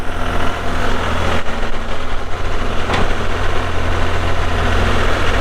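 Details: 2001 John Deere 5320 4WD cab tractor with 541 loader and sync shuttle, showing 358 hours (meter replaced): a deep, steady diesel rumble at idle with even firing and no knocks or rattles. The engine sounds healthy.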